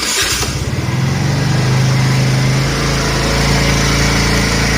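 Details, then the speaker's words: Scooter: steady even putter with a smooth low exhaust note and no ticking or leak puffing. "Alrighty guys, the exhaust stud has been fixed, and now my scooter is much quieter."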